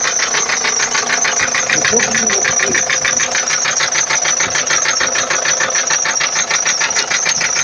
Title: Неизвестный стук мотора форд транзит 2.4 tdi 2004